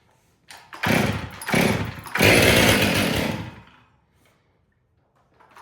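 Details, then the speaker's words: Stihl MS 500i chainsaw (came in for a noise while starting, put down to a worn sprocket and clutch): fires up and revs in three clean bursts, crisp rise and fall without stumbling; runs healthy. "Well, there we go. Was not here for a running issue, just a noise while trying to start it."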